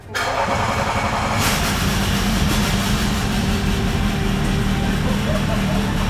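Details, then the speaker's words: Range Rover L405 3.0 TDV6 rebuilt engine after fitting a new genuine trigger wheel, no exhaust and many sensors and hoses disconnected: fires and runs loud, uneven and lumpy; rough running after first start. "Wow guys, that's a huge milestone. We've got an ignition. Yes, it was a rough ignition, but an ignition is an ignition."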